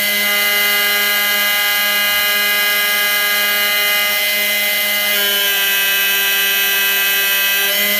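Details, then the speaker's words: Making an engine-turned (jeweled) finish on a brass hexagon keychain: steady high motor whine drops slightly in pitch when pressure is applied, then recovers when pressure is released; motor slowing under load, working normally. "you can hear the motor sound change and that's when I stopped applying pressure"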